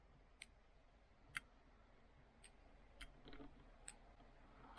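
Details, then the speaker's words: Toyota Matrix XRS sunroof with the old switch, open/close pressed: sharp relay clicks about once a second with no motor hum, so the sunroof doesn't move. Switch probably not at fault; the windows on the same fuse work. Owner suspects a faulty sunroof motor. "this is the old switch and when I press the like open or close button you can hear a relay clicking on and off"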